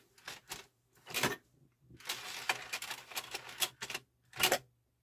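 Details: Denon UD-M50 CD changer loading disc one: short bursts of clicking and whirring gear noise in separate stages as it cycles and seats the disc; loading normal, though disc then not spinning.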